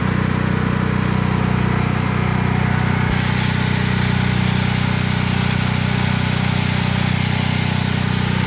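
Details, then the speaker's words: Predator 8750 petrol generator running inside a ventilated shed with the exhaust fan on, after over two years of use: steady, even drone with a constant low hum and no misses or knocks; the shed reduces but does not silence the noise. "And there it's running. This shed does a lot of help with the noise cancellation. I mean, it's not completely making it quiet, but it is helping reduce some of that noise."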